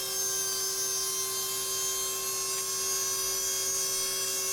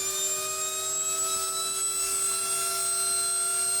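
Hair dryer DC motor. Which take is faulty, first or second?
first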